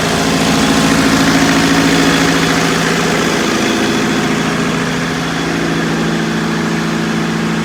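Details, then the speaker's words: Circa 1980-81 Bobcat 843 with Perkins diesel (4.152/153 or 4.154), injectors serviced to crack at 2200, electric fuel pump fitted: idles with uneven shaking beat about three pulses a second; starts easily but runs rough, cause not found. "and the engine now starts nice and easy and it runs it's just running rough"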